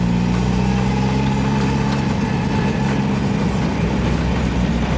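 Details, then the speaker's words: Turbo Miata on Tuner Studio e-tune, after earlier crank-no-start issue: steady even low rumble with no hunting or misses; idle now set up properly, with audible exhaust fire. "Alright, Mike. Looks like we got the idle set up properly this time."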